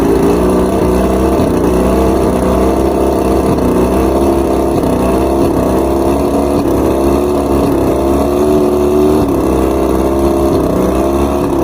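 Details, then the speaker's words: Outboard with rough idle and misfires, run after both switch boxes were replaced and all coils read 250. It idles with an uneven, lumpy beat and occasional stumbles. Afterwards the new number 5 spark plug was found fouled again, so that cylinder is misfiring. "Number 5 is toasted again. This was actually a new plug. All the other ones seem to be correct, but why is number 5 getting toasted?"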